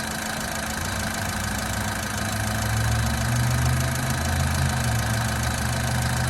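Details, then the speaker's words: 2000 Honda Civic VP at 114,000 miles, timing belt done, idling smooth, even and quick with no knocks, misses or rattles, sounding like a little sewing machine as a good Honda should; normal idle. "but listen to it run sounds like a little sewing machine like a good honda should"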